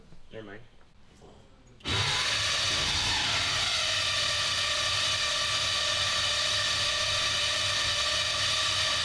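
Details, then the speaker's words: Race engine on a FuelTech FT600 system at initial startup, still being set up: hard to start, then a loud steady roar with a raspy edge. Sounds like it needs more fuel, running rough. "mind come on almost sounds like it needs more fuel"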